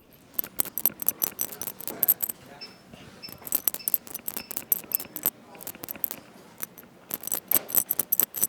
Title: Schoeps CMIT rattle fixes and capsule teardown